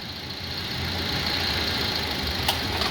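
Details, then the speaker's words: Ford Figo petrol engine idling, starts fine but knocks heavily and shakes when AC is switched on: lumpy, uneven misfire caused by water inside the ignition coils and spark plug wells. "কিন্তু যখন এসিটাকে on করছি তখন বিশাল knocking করছে। মনে হচ্ছে যেন ইঞ্জিনটা dance করছে।"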